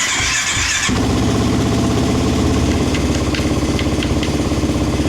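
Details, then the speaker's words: Suzuki LTR450/Kawasaki KFX450 quad after the tip-over switch was rolled over, cutting the fuel pump, now with a KMS tip-over switch eliminator plugged in. A short starter whir, then the engine catches into a rough idle, slow while fuel pressure rebuilds. "Now, the bike right now, because we've actually rolled the switch over, the bike actually has to build fuel pressure because we've actually shut the fuel pump on and the whole system needs to build pressure."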